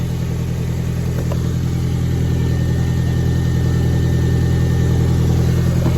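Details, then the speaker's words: Audi A4 1.8 turbo, not run for about two years, crank no-start fixed with new coils, plugs and a replacement relay for a rusted one: low, even idle pulsing about 3.5 times a second with no misses or knocks, running smoothly. "Now I'm gonna start her up. All right, so relay in. Started right up."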